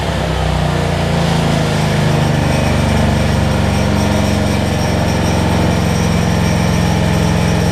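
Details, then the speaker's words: Generac 7500EXL generator with the low oil switch unplugged, first run in a while: constant, busy drone at a high, unwavering pitch with no hunting, reading about 130 instead of 120; governed speed set too high, engine overspeeding, throttle later backed off. "oh so yeah 1 30 she's running a little fast 120."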